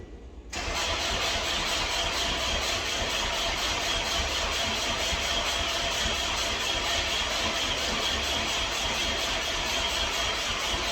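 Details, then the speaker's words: Subaru Impreza WRX, battery freshly charged: starter cranks steadily about ten seconds, engine never fires; crank no-start, owner says it is getting fuel and noticed the tachometer not registering while cranking; cause unconfirmed. "I am so disappointed I had all the excitement in the world and for it to not start is it's a let down"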